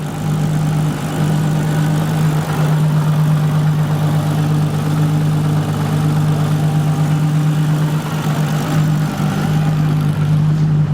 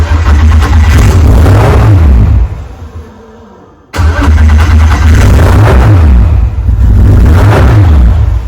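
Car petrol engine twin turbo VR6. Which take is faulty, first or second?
second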